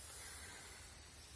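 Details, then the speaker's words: Maple sap wet/dry line with whips under vacuum during the midseason sap run: faint steady airy hiss where a tap sits in a dead, rotten tree with a hole, air sucked through the tree. Vacuum leak. "So, you know, we thought this tree would make it, but somewhere it's sucking right through the tree. And that's where I'm losing vacuum on this line."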